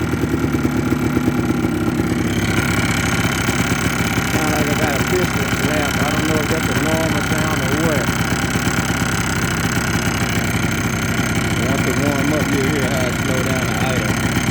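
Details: 2004 Yamaha Blaster two-stroke at idle, a light, irregular rattling tap over the burble; owner suspects piston slap, top end rebuild planned, cause unconfirmed.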